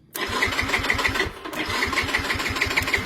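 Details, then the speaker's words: Yamaha Mio M3 scooter with ignition key off: starter cranks on its own at about six even pulses a second and the engine never catches; short circuit suspected in the starter relay; stuck starter relay. "Udah langsung tatar-tatar dan motor enggak mau hidup ya. Padahal kontak off ini udah langsung nyetat. Ini ada yang konslet, Guys."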